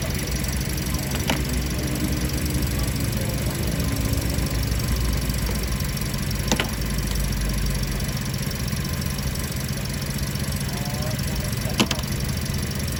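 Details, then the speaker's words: Car in for check engine light, system malfunction: engine shaking hard with uneven, lumpy, stumbling idle as coils are checked cylinder by cylinder one to four; one cylinder dropping out, misfire from dead ignition coil. "Kencong banget ya ininya getarannya ya? Iya getarannya kencang banget."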